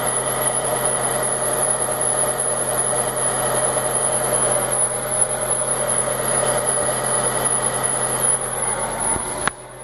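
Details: Fiat Marea 2.0 20v that overheats quickly, gauge reaching the red: the engine runs steadily with a constant high-pitched whine over uneven ticking; the owner suspects the water pump belt, not confirmed.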